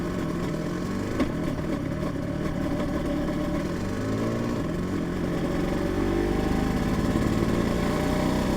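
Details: Yamaha TZR 250 3XV two-stroke with dry clutch, warming up after full engine rebuild and winter layup, idle uneven and stalling: light tapping about three to four times a second over the exhaust; source unclear.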